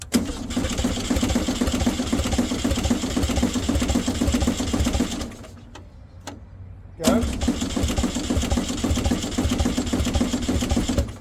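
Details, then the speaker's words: Abandoned VW Baja Bug race car cranking steadily at about two beats a second with faint uneven sputters that never catch. Fuel starvation or flooding is suspected, with the coil untested. "give it a time to unflood"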